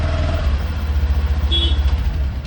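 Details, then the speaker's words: Honda Activa 6G BS6 with starting problem blamed on the ECM, after the green ECM wire was disconnected and grounded: catches cleanly and settles into a steady, even low idle with no misses or knocks. "ನೋಡಿ ಈಗ ನಾನು ground ಕೊಟ್ಟಿದೀನಿ ನೋಡಿ ground ಕುಟ್ಟಮೇಲೆ ಗಾಡಿ ಕ್ಲೀನ್ಆಗಿ start ಆಗ್ತಾ ಇದೆ"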